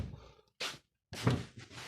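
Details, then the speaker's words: Chevrolet Lacetti after replacing both faulty door lock actuators (rear left door was buzzing): crisp single clunks as all locks open and close, no buzzing or hesitation; central locking working normally. "всё открыто закрылись все замки открылись все замки"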